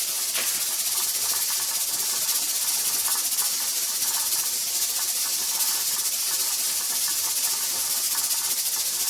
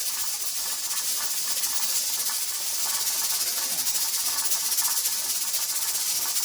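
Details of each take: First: Pressure canner processing tomato sauce, before the 10-minute timer starts: continuous steam hiss with faint, even ticking from the regulator weight and no pauses; steady rock. Heat was raised slightly just before, because the rocking kept stopping. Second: Pressure canner processing tomato sauce, heat started on high and being cut down before the 10-minute processing timer starts: steady steam hiss with a quick, loose rattle of the weight, about four a second; pressure regulator rocking too fast from too much heat.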